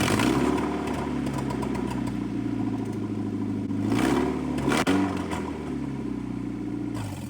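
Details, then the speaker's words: Honda CR-V after an engine swap (replacement for a flood-sunk engine), started on the battery from the engine donor car: engine catches and holds a steady, even idle with a couple of rev blips, no knocks or misfires; running normally. "So, that's pretty cool. That was a free battery. Seems like it's running great."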